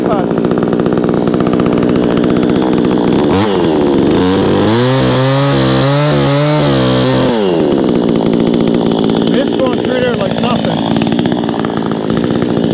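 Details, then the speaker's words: Vevor 20-inch gas chainsaw, freshly started with choke off, cutting a 4x4: high two-stroke scream that bogs and steps down as the chain bites wood, then recovers cleanly; normal running under load. "So I need these cut for my project, so we're going to use this to try it. Tell you what, I'm impressed so far."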